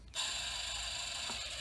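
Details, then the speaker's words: BMW S85 (M6) throttle actuator DC motor bench-tested, with worn gears and carbon dust inside: a thin, steady high whir with a rough, scratchy edge; motor sounds unhappy. "so here we go so doesn't sound very happy and that's just with 12 bolts being applied"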